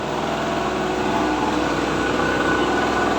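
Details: Daiden generator during setup testing, powering first one then two electric fans: steady high-pitched drone holds speed evenly under the light load, no surging or misses; normal running.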